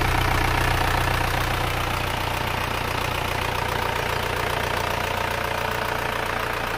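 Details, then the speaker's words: Engine after rebuild by a welding shop, first run: even, quick ticking idle at constant speed with no rise or stumble, running smooth and soft like a new engine. "mesin sudah hidup suaranya empuk halus seperti mesin baru"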